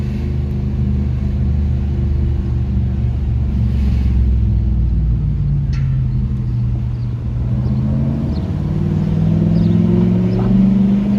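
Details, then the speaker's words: Customer's Nissan D22 Navara 4WD manual with VK45 V8 swap, road test through town at about 40 km/h after repairing a misfire and stalling fault: deep, smooth V8 burble climbing evenly through the gears, no misses or knocks under light load; normal running, seems good now. "Seems pretty good now."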